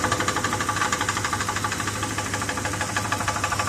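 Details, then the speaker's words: 1973 Ford truck with 390 V8, after a new timing chain set and carb rebuild: light regular tapping about three a second over a steady idle, a deep knock. Source suspected inside engine, not confirmed. "I am still bummed out about the uh the uh what sounds like a knock in the engine"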